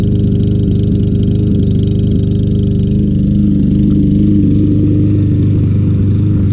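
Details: Troy-Bilt TB200 self-propelled front-wheel-drive mower, Briggs & Stratton 625EX 150cc, long stored; revived after tapping the carburetor, still old gas, float possibly stuck. Small single-cylinder runs fast but stumbles and wavers; rough running, cause unconfirmed.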